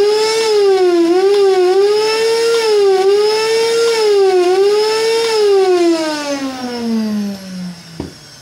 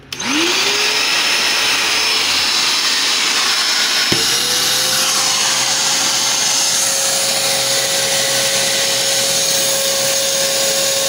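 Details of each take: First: Kärcher NT3000 wet/dry vacuum with a customer complaint of deafening noise during use: a loud, high motor whine wavering about every second, then winding down. Dust-worn motor brushes and seals make it run rough. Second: Kärcher NT3000 wet/dry vacuum after motor repair for a deafening noise complaint: motor spins up to a clean, steady whine, restarts and settles at a smooth pitch with no rattle or grinding; normal running.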